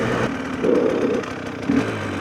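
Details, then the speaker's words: GPX TSE 300 with newly fitted XTNG Gen 3 Plus smart carburetor, warm after a test ride: even, steady tickover with light throttle blips settling straight back; crisper than the old carb, which bogged slightly; normal warm idle. "warm now and it's ticking over nicely."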